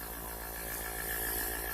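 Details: Airbrush compressor, running quietly for an airbrush set-up; regulator with gauge still to be fitted, rated up to 40 PSI with 3–5 PSI wanted. A soft, steady hum with a faint even whine, no knocks or surging: normal running.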